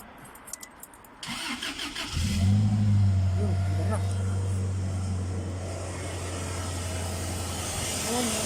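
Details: 2009/10 Toyota Hilux that had crank-no-start with codes P0335 and P0123: short crank, then the engine catches and settles into a steady, even low idle with no stumbling; normal engine start.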